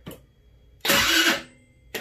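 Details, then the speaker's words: Tao Tao Racer 49cc scooter with a replacement motor, press-button start: one short strained starter whirr of about half a second, no catch. Owner believes the battery is dead and plans to jump-start it. "it is on batteries not completely dead or is it weak just give it a try"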